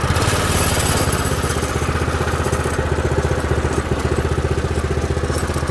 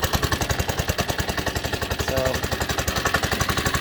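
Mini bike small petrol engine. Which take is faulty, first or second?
second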